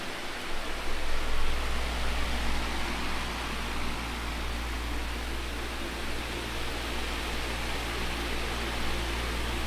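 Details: 2002 Midea 16" oscillating pedestal fan with mesh grilles, before cleaning, stored unused for a couple of months, on high with oscillation working: a strong steady roar of air with a low hum and no knocks or scraping. Normal running.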